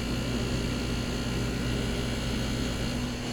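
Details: Midea central air conditioner outdoor condensing unit (lower unit) running with a steady heavy roar and deep droning hum, far louder than normal.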